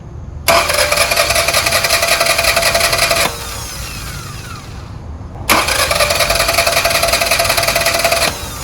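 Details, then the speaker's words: Toyota engine that died while cruising on the highway: two bursts of fast, even, free-spinning cranking about three seconds each with no catch; battery and starter fine; cause suspected to be fuel pump or clogged fuel filter, not confirmed. "my battery has a lot of power it's feeding electrical power to my starter and the starter is doing its absolute best to start the engine unfortunately again either the engine is not getting fuel from the fuel pump or the fuel filter is completely clogged up"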